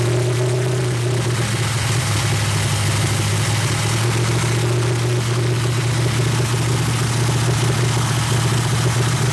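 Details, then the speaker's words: 350 SS V8 truck, first start after the build, a large vacuum leak from the unhooked brake booster temporarily patched. Loud, uneven, lumpy idle with no clean rhythm; the owner suspects tight valves and plans to check the valve adjustment. "I don't know, it don't sound too impressive. Sounds like the valves are tight or something. I think I'm going to check the valve adjustment."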